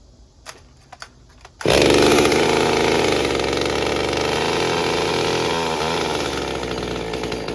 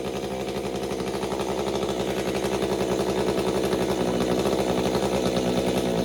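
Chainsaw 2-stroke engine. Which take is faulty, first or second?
second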